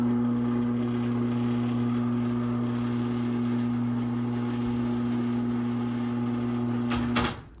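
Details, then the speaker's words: Genie Pro Screw Drive CM7600IC/A opener (motor previously freed): steady low hum with buzzy drone about seven seconds then cutting off; opener still vibrating for unknown reason. "this thing is vibrating still for some reason"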